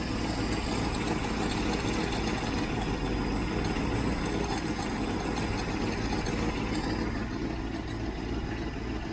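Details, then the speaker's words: Freshly rebuilt 1967 Mustang 390 V8 idling after start-up: a steady, even idle with a faint puffing tick underneath. Exhaust is leaking at the heat riser joint because its gasket is missing (the only gasket was ruined); a new one is needed. "Guess it's still leaking down at the heat riser exhaust leak. That's because there's no gasket in it."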